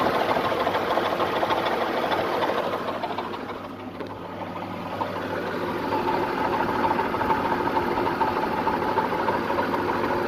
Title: Nissan VG33E Engine Knock